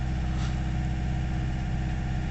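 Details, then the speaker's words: Nissan Navara D40 2.5 dCi diesel, still cold, after fuel injector cleaner, P1275 fuel pump and P1622 codes: steady low clatter hanging at low revs, revs slowly improving; reduced power, cause not yet known. "It's picking up a little bit of revs at the minute. It's improving slightly. So we've got revs slowly getting a little bit better as we're going along."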